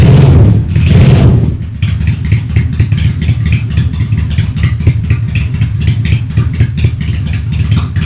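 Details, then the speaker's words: Honda Steed 400 V-twin custom with straight-pipe exhaust: after revving start, loud deep uneven loping pulses at slow idle with clear separate firing beats; healthy idle. "Top Marco Top, anjay, suara mesinnya nice, dream come true banget ya. V-engine-nya kedengeran banget, firing ordernya satu-satu, mantap banget nih kalau misalnya motor lagi diem, langsam sih, gahar sih ya."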